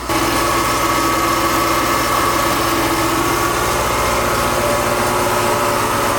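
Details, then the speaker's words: 2008 Mercedes SL550 salvage car bought from Copart, check engine light and warnings on, stopped moving going uphill: steady even idle with light regular ticking, no misses or knocks, runs smooth. "Engine sounds good though. It's running nice and smooth. Just ticking away, yep."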